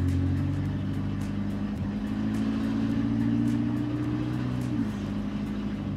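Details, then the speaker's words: 1988 Volvo 240 DL sedan revived after sitting abandoned, first drive at up to about 25 mph: loud, hollow, droning low hum with slight pitch shifts with speed, from the cut-short, unmuffled exhaust before a new stock exhaust. "sounds like a boat if you were to slowly flood it and then just let it drown in the water just like The sweds Wanted"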